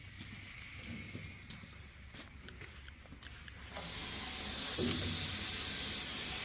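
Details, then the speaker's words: Marvel Series 8 Mark III bandsaw after a full rebuild with new bearings, clutch pads, computer, belts and wiring: a quiet hum, then a steady air hiss as the pneumatic brake releases for tilting, which is normal. "So you hit the button and it automatically undoes the brake and then starts moving it. And you can hear the air hissing in the back. That's the brake being released."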